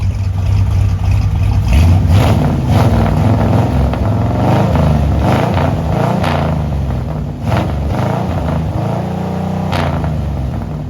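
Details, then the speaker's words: Ford 292 Y-block V8 (C2AE) with a newly installed cam and headers, after a distributor tweak, idle mixture screws still untuned: deep, uneven loping idle around 700 rpm, rolling about three times a second from the cam; a normal lopey cam idle. "I really tell a different exhaust note, and of course, some of that's with the headers, but especially with that cam and idling back to 700 or so, a little bit below that"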